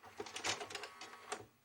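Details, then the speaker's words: 1998 JVC HR-J756MS VHS recorder that had been left outside in water, playing a cassette: uneven clicking and whirring that catches and stops; head drum stalling, rusted drum suspected. "l'impression que ça la tête de lecture qui s'arrête on va vérifier ça de suite"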